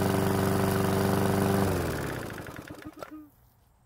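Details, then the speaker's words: PowerSmart mower's single-cylinder engine, refilled with fresh fuel after a hard no-start, runs at a steady fast beat of about four firings a second, then is shut off and coasts down. It was slow to start but runs fine. "So, it was a bit of a slow start, but it finally started and seemed to run okay."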